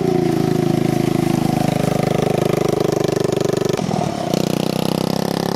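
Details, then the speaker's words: 150cc engine in a shifter kart on its first test drive: fast even buzzing exhaust with a thin, sharp edge and brief stumble midway; engine running lean. "you can really hear how it's running lean"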